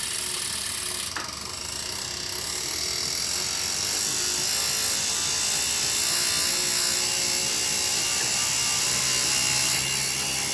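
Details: Elite Rampa trainer: hissing high whir with a regular click about four times a second running through it; ratcheting noise, cause unknown.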